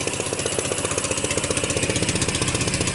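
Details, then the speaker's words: Sunl 150cc dune buggy GY6 single-cylinder GY6 engine after a $14 pit bike AC CDI fixed no spark; steady, even idle putter about four beats a second, no misses or stumbles, running clean. "so there we go great it's running right on the $13 hit by completion system 1350 everything is good"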